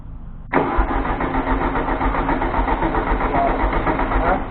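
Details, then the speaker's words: 1973 VW Thing (1600cc) first start after restoration with the choke shut: the starter churns at a steady four beats a second with no firing or catching. It cranks but won't start because no fuel is reaching the engine yet, so the gas must be pumped up. "So you're gonna have to pump some gas into it. We're not getting any gas up it yet."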